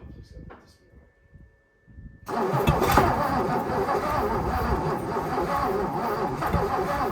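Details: 1957 Lincoln Premiere: steady, rapid starter churn around 220 beats a minute that never catches. Long crank, no start.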